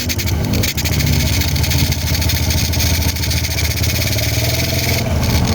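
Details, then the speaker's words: A Honda Wave 100 single-cylinder idles steady and smooth with no top-end ticking or rattle. After repair it is very quiet, oil is circulating to the head, and the connecting rod was not replaced. "Okay mga master kung maparirinig niyo sobrang tahimik no. Hindi tayo nagpalit ng connecting rod diyan."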